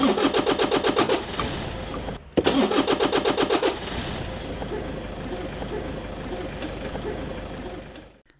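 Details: Toyota Innova starter after repairing a pinion/ring gear fault where the pinion spun without turning the flywheel; starter cranks briskly, engine catches cleanly and runs evenly; normal start.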